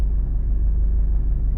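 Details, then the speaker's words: Car warming up at idle with a deep, uneven rumble and lumpy shake vibrating the cabin; the third cylinder is dead, its injector not working, as disabling it changes nothing. "салон весь вібрує зараз буду вичислять яка форсунка не працює третій циліндр не працює"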